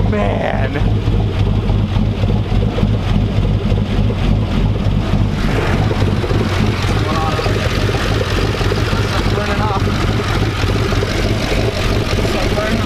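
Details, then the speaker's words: Hummer H3 just reassembled with new 4L65E transmission and Truck Norris cam, first start, untuned: loud, lumpy idle with uneven lope and deep exhaust rumble, no leaks; normal big-cam choppy idle. "Oh, listen to it chopping. Listen to it chopping, baby."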